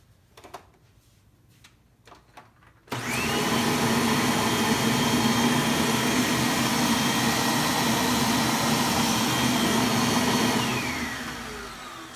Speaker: we can plug it in we're gonna turn it on again it's going to get loud but I'm just gonna verify that the brush is spinning